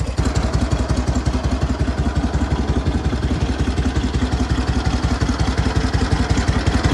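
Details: SOKÓŁ 1000 motorcycle after full rebuild, briefly pre-warmed, 12V generator matched to engine after earlier howling problems: even, steady low thumping idle with no howl or grinding from the generator; engine runs smooth and healthy.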